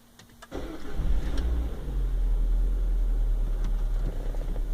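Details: Citroën C4 VTR at 73,000 km, after replacing the squealing alternator belt along with the timing belt and water pump: engine cranks briefly, catches and settles into a steady low idle with no belt squeal.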